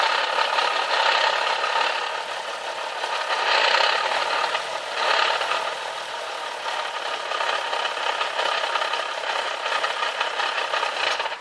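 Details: Nissan 370Z gearbox at idle on the first drive home after installing a JWT flywheel and clutch kit: loose, uneven metallic rattle, much worse than before; gear rattle at idle made worse by the lightweight flywheel.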